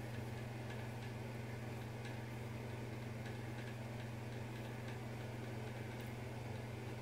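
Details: Bathroom exhaust fan, rattle returned days after a May 1 service visit and cycles intermittently; a deep hum that had grown louder over months preceded service: low steady motor hum with light ticking rattles about three or four a second.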